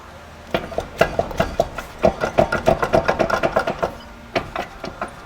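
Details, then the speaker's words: 2000 Ford F-350, right front: rapid, uneven knocking and clunking as the loose front wheel is rocked by hand, a worn wheel bearing. Owner heard grinding for a week; brake pedal went to floor, brake fluid under the tire. "he said about a week or so ago he was hearing some grinding noises and kind of ignored it so I think he's got two issues going on I believe it's going to be a wheel bearing"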